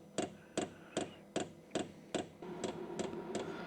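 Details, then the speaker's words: VEVOR diesel heater at startup: sharp, evenly spaced fuel pump clicks about two and a half per second with fan whir rising underneath; clicking later stopped and fan slowed with no heat produced after a couple of minutes. "Oh, I can hear that infamous clicking noise."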